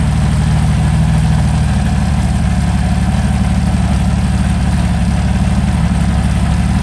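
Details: Meteor Interceptor V12, first start after complete rewiring to new engine management, car jacked up for gearbox test: deep, smooth unbroken rumble at steady idle, no stumbles, no smoke; gearbox worked; normal idle.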